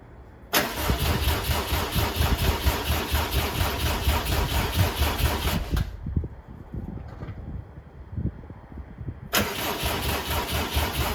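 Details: 2007 Subaru WRX swapped to STi engine, first start-up after install, crankshaft sensor and fuel pump reconnected: starter churns in long bursts about two beats a second, never catches; crank no start.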